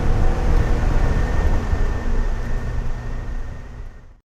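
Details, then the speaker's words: 1987 Porsche 924S running after a no-start following a clutch install, fixed by jumpering a broken DME relay-to-injector wire: low, even rumble holding steady a few seconds without stumbles before cutting off; engine runs properly. "now I have power on both sides of the injectors on Keyon and this thing fired right up so wild ride indeed"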